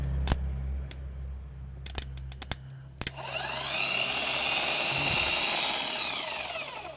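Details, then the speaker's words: Volkswagen starter, new replacement that clicks but won't crank, removed and bench-tested: motor alone wired minus to body, plus to brush terminal; clicks then whirs up to a high even whine and coasts down. Motor and brushes fine, contact fault at terminal suspected. "Мотор працює на самій ось цій клемі немає контакту щітки в порядку Мотор працює тоді"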